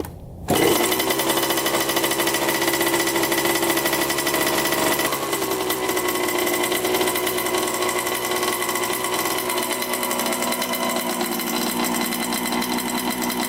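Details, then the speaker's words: 1987 Honda CR80 two-stroke dirt bike, first start after carburetor cleaning, air filter cleaned, on choke, oil slightly milky: crisp buzzy note settles into a steady, even run with no stumbling or misfiring; engine sounds healthy. "all right so that sounds pretty good I didn't really help much but it's good to have that there"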